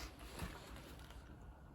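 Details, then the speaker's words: Renault Zoe ZE40 R90 electric motor after replacing noisy bearings, rotor spun by hand: faint smooth whir with light bearing hiss from the rubber-shielded high-speed bearing, no grind; much quieter than before, bearings healthy. "all right so there we go sounds pretty good you can just about hear the bearing you can hear that one that's the um rubber shielded highs speeded one at that"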